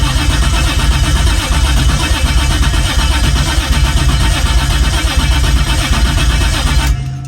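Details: BMW E36 with a 1JZ swap, on a first start attempt after new AN fuel rail fittings, laptop tuning the ECU: starter churns unevenly for about seven seconds and never fires. Cranks, won't start; cause not found.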